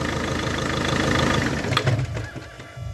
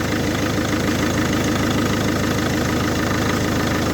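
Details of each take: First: Volvo V50 MK1 1.6L D4164T 80kW diesel: rough idle stumbles and dies within seconds when the crankshaft position sensor connector is pressed; CKP sensor already replaced elsewhere, fault in the connector pins or wiring causes intermittent stalling. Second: Volvo V50 MK1 1.6L D4164T 80kW diesel, after repairing faulty wiring and replacing connector pins at the sensor behind the engine that caused intermittent stalling: smooth, even idle holding steady for ten seconds with no stumble or stall; normal idle.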